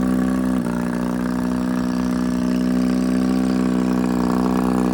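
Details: 1957 Johnson 18 HP two-stroke outboard, engine test: steady even buzzing with a small dip near the start; runs healthy, needs choke to stop.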